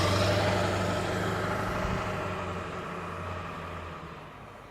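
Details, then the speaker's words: 2003 Ford Excursion Limited with the 7.3L Powerstroke diesel, just started and idling: a steady, even diesel clatter with a regular beat and no stumbles or knocks. No smoke, healthy idle. "You can hear it run back here. It sounds like a 7.3 diesel. Doesn't blow smoke or anything."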